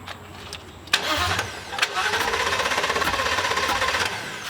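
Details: 2017 Thor Vegas RV engine during a rebuild, after a ground fix let it spin over: starter cranks at about three beats a second without ever catching, and no fuel pump is heard; crank, no start.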